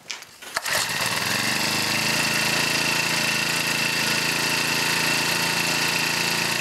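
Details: Honda GX31 small engine after reinstalling the carburetor and fitting new fuel lines and fuel filter, started with choke and primer: catches after a pull and settles into a steady, high-pitched buzz with no stumbling. Runs healthy.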